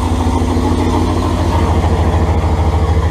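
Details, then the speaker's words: Dodge Ram 5.2L turbo build, first start with Y-pipe and exhaust only tack-welded: very loud raw idle with fast uneven puffing; exhaust leaking at the unsealed tacked joints. "well it's really loud we're really tired and there is quite a bit of exhaust leaking going on cuz it's just all tacked on us"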